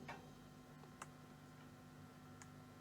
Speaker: Okay, so it's some sort of grounding issue. You can hear the hum. If I take my hands off. But it still makes noise.